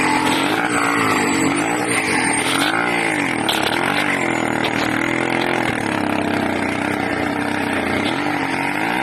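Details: 80cc two-stroke engine: loud, raspy running whose pitch keeps wandering up and down without throttle changes, hunting erratically; owner suspects a carburetor or intake manifold leak, unconfirmed.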